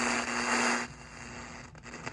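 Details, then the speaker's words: Vintage 1980s AM/FM radio: a sudden burst of harsh crackling hiss cuts off, then a ragged quieter hiss as the selector switch is worked. The switch contacts are dirty and scratchy, before being cleaned with contact spray. "Here, how that's all scratchy."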